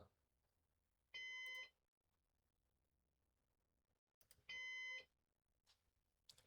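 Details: Used Synology DS418 NAS during first setup with four drives: clear high half-second beep repeating about every three seconds, heartbeat-like; owner unsure why.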